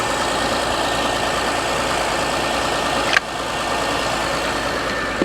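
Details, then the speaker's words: 2005 Nissan Armada at a salvage auction, just jump-started: steady, even idle with a smooth hum and no knocks or misses, A/C clicking on; healthy normal idle. "this is nice this sounds perfect this is real nice wow all right i like this"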